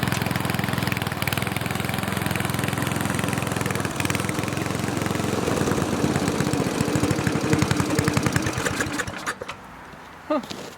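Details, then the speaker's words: Snowflite snowblower, donated, started by hand outdoors with fresh gas and oil slightly low: small single-cylinder firing at a quick, even beat, no misses or knocks, then shutting down; sounds healthy. "think it runs pretty sweet i know it probably didn't look very impressive"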